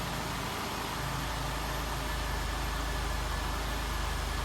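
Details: Healthy idle of a 1996 Buick 3.8 L 3800 V6 right after start, following oil pan replacement: steady, even low hum with no knocks, ticks or misses, settling smoothly straight away.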